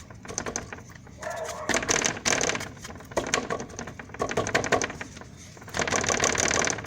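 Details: 2011 Chevrolet Corsa Maxx front end shaken by hand: dry plastic clatter in uneven bursts, the loose plastic radiator support frame rattling, the source of a suspension-like noise mechanics couldn't find.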